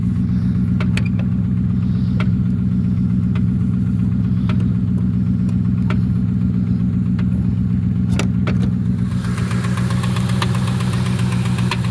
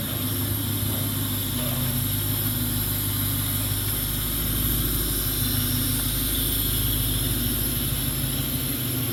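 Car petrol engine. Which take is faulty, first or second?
first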